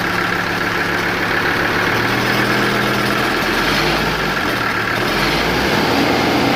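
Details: Mercedes W123 idling: loose, uneven knocking about four per second over the rumble; owner states it is a bad fan clutch, not engine knock.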